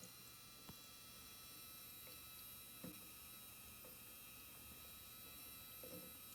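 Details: EVGA GeForce RTX 3090 XC3 Ultra Gaming graphics card switched from no load to load: faint high-pitched steady whistles over a quiet hum with soft clicks; coil whine under load.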